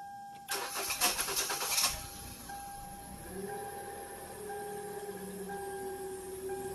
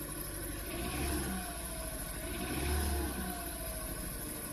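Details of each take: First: 2013 Hyundai Elantra 1.8L I4, after a new fuel injector for cylinder four and a spark plug replacement fixing P0300/P0301/P0302 misfires: quick crank, then smooth even idle and rev, no misfire or check engine light. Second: 2013 Hyundai Elantra 1.8L I4 idling rough with lumpy misfire after new plugs and coil packs swapped (3-4 into 1-2); P0301 cylinder 1 still misfiring, cylinder 2 fixed by plug; suspected fuel injector.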